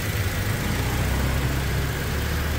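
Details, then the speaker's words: Toyota Fortuner 2.7 L petrol after a Blackcore carbon-cleaning tune-up and double Blackcore install: even, steady low hum at idle with no misses, knocks or surging, only the injectors audible; healthy normal idle. "Setelah selesai, suara mesin super halus, injektornya saja yang keras. Suara mesinnya hampir tidak terdengar."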